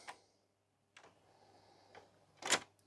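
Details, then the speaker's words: 1989 Philips CD480 CD player whose tray wouldn't open, after the belt was cleaned with Rubber Renew: quiet clicks, brief motor whir and clean latch as the tray opens and closes; tray now works normally. "okay are we ready open yeah beautiful close that's working very nicely now that's"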